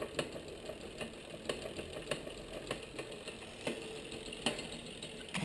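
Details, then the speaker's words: Rear derailleur with barrel adjuster turned out too far, overtight shift cable pulling pulley too far inboard on second cog; light sharp ticks every half second to second at rear cogs as bike tries to self-shift; cable tension misadjusted, not a limit-screw issue. "focus on that noise a second it is a noise but if we look the pulley is now actually too far in board we're trying to actually shift the bike is trying to shift itself"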